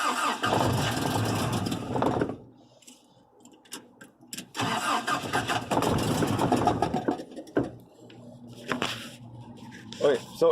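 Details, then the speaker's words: 3rd gen Toyota pickup after new fuel pump, fuel rail bolt found loosened; catches a second or two then dies, cranks again and fades, fuel misting from rail fitting needing tightening or new copper washer: start then stall from fuel leak. "firing up and it dies right away i'm gonna give her a couple more shots here okay you can see the fuel is still misting out of there so it still needs to be tightened up"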